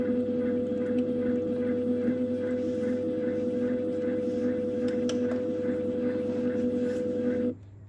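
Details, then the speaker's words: Mastertronic analyzer during a reference test with marine-based reference fluid: the empty (drain) motor hums at one steady mid pitch about seven seconds, then cuts off cleanly, draining the 10 ml of reference fluid from the reaction chamber until air bubbles appear; normal. "Now you can hear the empty motor starts. You can see that the reference fluids will be drained here, and soon you will see air bubbles that it's completely drained."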